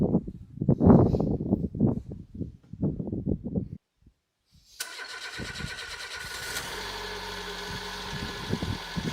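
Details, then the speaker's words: Citroën BX with 81,000 km, left sitting over 10 years, first fire-up before driving home: short crank, fires and settles into a steady idle, slightly lumpy at first but even; healthy normal cold start. "It's been off the road for many years, but it seems to be quite healthy."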